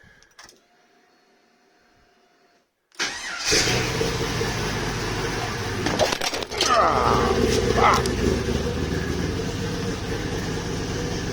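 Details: Volvo 240GLE with LS2 V8 swap, turbo project, full single 3-inch exhaust fitted, wideband disconnected: cranks and catches at once, settling into loud deep lumpy V8 rumble with a couple of blips; normal idle.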